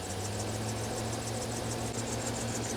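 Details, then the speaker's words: 2012 GMC Sierra at idle: fast high-pitched chirping squeak from the accessory belt drive that changes only slightly and doesn't stop when the AC compressor clutch disengages; owner suspects a worn tensioner or idler pulley bearing. "It does change slightly, but it does not stop altogether. So there it is off. There it goes on. The noise doesn't really change."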